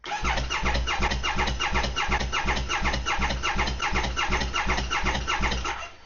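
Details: 2020 Triumph Speed Triple 1050S 1050cc inline triple, long unused, after oil change, fresh fuel and new battery: fast, even starter churn about three beats a second that never catches, hollow airy chuff; owner suspects no compression.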